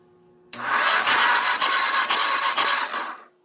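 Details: Auction Kawasaki (titled 1989 KLR650; owner unsure, thought 1987 250), neutral safety switch/relay wires bypassed, powered only by a battery charger on low: about three seconds of steady starter churning that then stops. It turns over but never catches.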